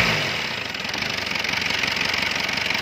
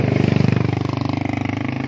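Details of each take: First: Mercedes C240 diesel with white smoke, misfire and wild idle; idle was lowered: settles into a steady, even idle with fine rapid clatter, no surging or hunting: normal diesel idle. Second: Mercedes C240 diesel: fast, steady clatter at high idle that climbs and won't come down even when idle is lowered, with foul white smoke; blamed on a punctured diaphragm behind the injection pump.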